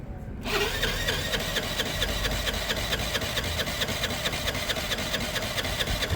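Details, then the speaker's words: Piaggio being cranked on a weakening battery: steady ticking crank at about two beats a second with an uneven compression note that changes partway, and it never catches; an engine problem is suspected but not confirmed. "I don't know if compression sounds right there I'm not sure there's something about that compression sound I'm unsure about oh what happened there what changed did you hear that there was a note change I reckon it's got engine"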